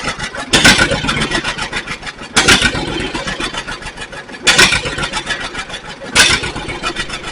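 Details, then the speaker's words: 1942 John Deere Styled B two-cylinder tractor, revived: loud bursts every two seconds or so over an uneven chuffing run; firing and running normally. "So, but other than that, everything else looks good. I was glad to hear it start up."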